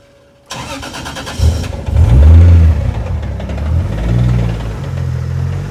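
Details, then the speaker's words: Toyota 2JZ on first start after fitting sequential injection and R35 coils, which the owner forgot to account for: cranks, catches and stumbles with lumpy surging revs over loud injector tick; ran really bad and sounded terrible, rough running. "initially when I first started it I forgot that I have the sequential ex injection now with the R35 coils so it ran really bad and it sounded terrible"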